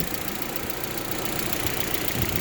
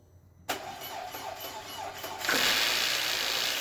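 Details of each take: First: Audi A4 1.8T after an ignition wiring harness replacement, just started after sitting: steady, even idle with no misfire while a finger plugs a vacuum-leak hole under the intake. Dry lifters expected to quiet as it runs. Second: 1.8T Audi A4 starting after ignition wiring harness replacement, unstarted for months with fresh oil and possibly dry lifters: short crank, fast catch, then lumpy idle; not a misfire but a vacuum leak under the intake.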